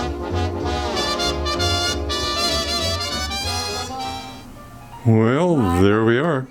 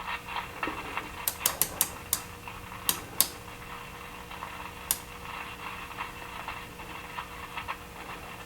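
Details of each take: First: RPC Airmaster radio reassembled after resoldering a socket's cold solder joint, likely from original manufacturing: swing music plays clean and full with no crackle, hiss or dropouts, and the volume has improved; working normally. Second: RPC Airmaster tube radio, chassis upside down, no station tuned: steady low AC hum with sharp, fairly periodic pops and crackles; the cause was a cold solder joint at the speaker plug socket.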